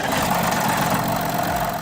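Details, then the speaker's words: Audi A5 3.0 TDI (CDUC, 245 hp, 500 Nm) diesel on start-up: dense metallic chatter over the rough idle from a worn timing chain, typical around 200,000 km or earlier if badly maintained; over a second is a serious warning. "The first thing you should definitely watch out for when buying a car with this engine is the timing chain rattle on the start."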